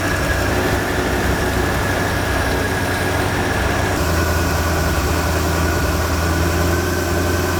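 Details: Big-block 460 V8 (swapped in) after opening the rear idle mixture needles that had been fully in and starving it of fuel: loud, steady, even idle with a deep beat, no misses or stumbles.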